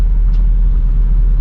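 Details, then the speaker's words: Barn-find 1971 Pontiac Firebird Formula V8, driven slowly around the block on an old gashed tire: deep, smooth low rumble without ticks, knocks or misfires; motor sounds healthy. "Sounds like a good motor, you"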